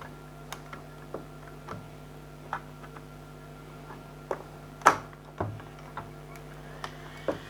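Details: Old 80GB Seagate Barracuda 7200 RPM drive, plugged in via USB hub for comparison: a steady low hum with light irregular head-seek ticks every second or so as it spins up; normal operation.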